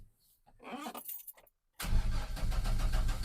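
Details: 2000 GMC 1500 parked 4 years, after repairing rodent-chewed wires (yellow and purple extended/repaired): quiet, then starter catches and engine fires straight into a steady, even idle; cranking and starting normally.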